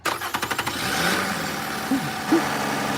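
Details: 2006 Toyota Avalon 2GR-FE, nearly misdiagnosed as a locked engine, after correctly reinstalling a starter previously mounted wrong: brief quick even cranking, then catches and settles into a smooth, steady idle.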